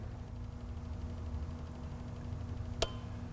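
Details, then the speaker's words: 2005 Honda Civic 1.7L with P1457 small EVAP leak code: purge control solenoid near the throttle body, commanded on and off by scan tool, gives faint tapping and sharp clicks over idle, so it works electronically. "so i can be reasonably sure that the purge control solenoid can work electronically because i can hear it activating"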